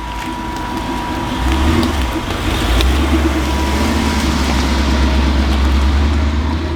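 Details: Jeep with a carburetor, first start after fitting an electric fuel pump temporarily wired to a fuse, feeding a return-type filter to the carb: after a second a steady, low, even rumble settles in and holds. Running.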